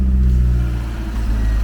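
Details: Garden-find Ford Capri revived after sitting, heard from the rear: a deep, even exhaust note swelling smoothly through a short blip, no popping or missing, clean running. Normal revving.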